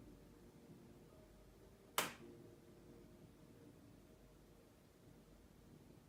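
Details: Single loud, sharp crack like a finger snap in a quiet room from a Sony BRAVIA XE80 (X800E) 55-inch 4K HDR TV, bought new; popping began after about a week, rare at first, worse after 4 months.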